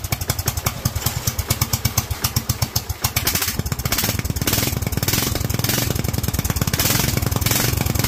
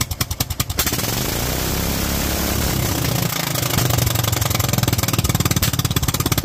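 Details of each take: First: Kohler single-cylinder engine with Honda carburetor, idle set around 1000: thumps along happily at idle, then revs hard with a ragged, crackly top end, leaning out badly at high rpm. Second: Kohler single-cylinder engine with Honda carburetor, .024 idle jet and 47 main jet, set up for cold-weather use: steady, even firing that picks up and holds smoothly with no misses, carburetion right; 45 gave slightly more kick.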